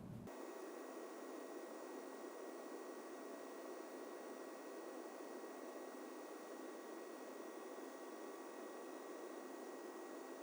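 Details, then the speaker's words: AMD Radeon Fury X graphics card's all-in-one water cooler on an open test bench: loud constant high-pitched pump whine over a steady hiss, the pump seemingly running at 100% with no speed control. "I am talking about the loud high-pitched pump in this unit it sounds to me like the pump has no speed control and is running 100% at all times"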